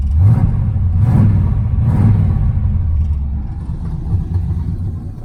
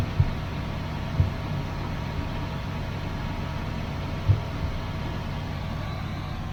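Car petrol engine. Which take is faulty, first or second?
second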